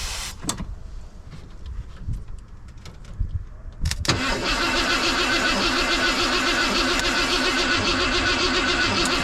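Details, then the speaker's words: 1990 Ford F250 junkyard build, 351 5.8 V8, cold morning, new battery, fuel pressure present: after clicks, the starter cranks steadily at about four pulses a second but the engine never fires; crank, no start, cause unknown. "Why she no fire?"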